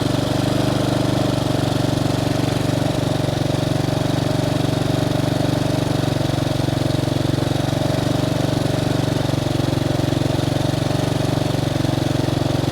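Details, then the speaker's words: Bombardier Traxter 500 after carburetor cleaning and rebuild, up to temperature with choke fully in: steady even single-cylinder idle, smooth low thrum, no misses, knocks or hunting; runs as it should, possibly idling slightly fast. "the choke is all the way in running as it should if anything it may be idle in just a bit hi"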